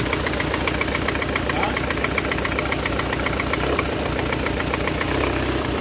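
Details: Citroen C4 1.6i idling on three cylinders: uneven, lumpy idle with a missing beat in the pulse, misfire from a failed ignition coil, code P1339; fix is coil replacement.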